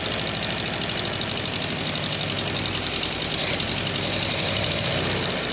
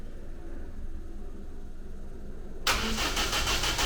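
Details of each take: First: Ninety rebuilt engine on its first run, with fuel pumps on, a little choke, good compression and no cooling system yet: it catches and keeps running at a fairly even fast idle without stalling. Ignition timing is still acknowledged as nowhere near right. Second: Ninety with a rebuilt replacement engine, fresh large battery and strong spark: the starter spins it over in even chugs about three a second with no firing. The ignition was statically timed with the distributor too far advanced, and the cam timing marks were later found set wrong.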